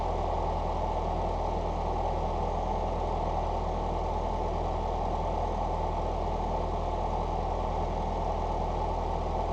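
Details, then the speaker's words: Four-cylinder Fox-body Ford after injector rebuild, new exhaust and IAC reset: smooth, even low hum, steady idle around 750 rpm with no misses or surges; engine now runs well. "as far as Motor problems go I think we're good to go I mean it actually runs really good"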